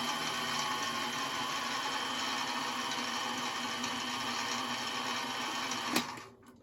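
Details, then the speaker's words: Mini milling machine, spindle drive started cold, cooling fan unit at the rear blowing air: steady whir with fan rush and light gear whine, a little noisy but no vibration, knocks or wobble; normal spindle gear drive noise. "Uh, it's got a a unit back here with a cooling fan blowing out air. in case you get into a spirited session. I guess it is a little bit noisy though, but there's really no vibration at all."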